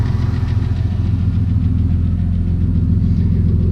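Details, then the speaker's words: Turbo 2000 Camaro 3.8L at cold idle: faint light lifter tick a few times a second over a deep rumble; it comes and goes, mostly disappears once warm and when revved. "You can hear that lifter tick. It comes and goes. Once it's warmed up, it mostly goes away, and then when you give it RPM, it goes away."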